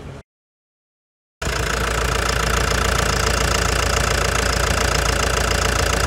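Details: 2013 Toyota Hilux 3.0 diesel after full service (shocks, automatic transmission oil, oil and filters, engine leak repair): engine catches after a brief gap and settles into a steady, even diesel clatter at idle; healthy.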